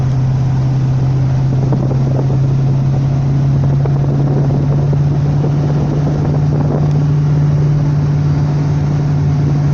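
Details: Fiat Novo Uno Way 1.0: constant low droning hum above 100 km/h over road noise, engine vibration transmitted through worn engine mounts.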